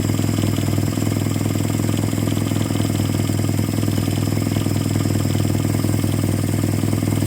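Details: 1946 Jeep, old engine just revived, oil pressure up, not yet warm, burning off sprayed-on residue: steady even low idle, regular beat, no knocks or misses; idling on its own, sounds really good.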